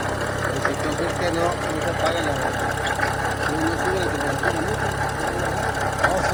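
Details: 2011 BMW 335i engine at idle, faint irregular ticking over the engine; abnormal noise, source unknown.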